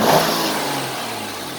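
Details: 2002 Mercury Cougar 2.5L V6, 184,000 miles, parked: short rev swells and eases back smoothly with no rattling or clatter; the strange under-hood noise does not occur stationary, only when driving.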